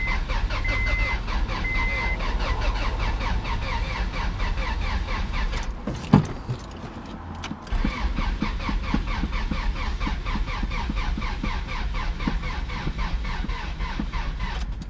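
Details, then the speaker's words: Honda Prelude with rebuilt F20B bored to 86mm with K20A Type R pistons, first start attempt on a jump box: the starter turns the engine slowly in labored pulses and it never fires; owner suspects insufficient battery. "Probably gonna need some more battery."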